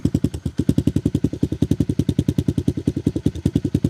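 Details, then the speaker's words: Tao Tao Coleman 125 ATV just started without the choke after months of sitting, on a new 28mm pipe and silencer, with the idle possibly a bit high. Evenly spaced exhaust pulses with a deep throaty note and no misses or rattles; the engine runs healthy. "So that pipe sounds pretty good. It's got a little throat to it."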